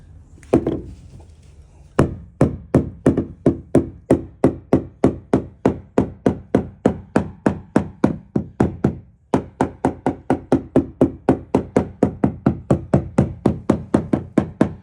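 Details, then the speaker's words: Hammer tap test on a crack in the deck in front of the console near the kill box of a used 31 Cape Horn boat: crisp solid knocks about three a second, no dull spots; likely just a seam, fiberglass sound, no delamination. "It doesn't sound too bad, so that's a good thing."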